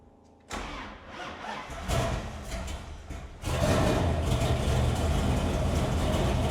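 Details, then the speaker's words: 1970 Dodge Challenger R/T tribute with 426 Hemi and 4-speed, restored by late owner, fuel primed before start; cranks briefly, fires right up, settles into strong steady lumpy V8 idle with no knocks or misses; runs good. "He runs good. Yeah, it fired right up."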